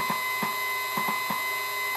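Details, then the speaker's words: CNC stepper motor, driver set to 4.2 A, 48 V 240 W supply, slow jog at 10% speed: sharp irregular clacks, two or three a second, over a steady high whine as the motor catches and stalls; stepper motor clicking. "Alors, si je mets 10% par exemple, ça va marcher mieux, mais il fait toujours un petit bruit de blocage comme ça, on dirait qu'il se bloque."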